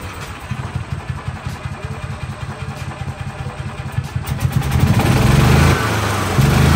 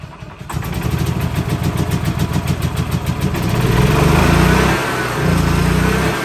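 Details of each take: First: 2013 gas-powered electric-start golf cart, starter engaged by the gas pedal, in neutral: slow cranking ticks for about four seconds, then it catches and runs with a few throttle swells; starts and runs fine. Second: 2013 E-Z-Go gas golf cart engine on choke: cranks, catches, then runs unevenly with surging revs; owner suspects carburetor not pulling enough fuel even at full throttle, needs carb kit (and new belt).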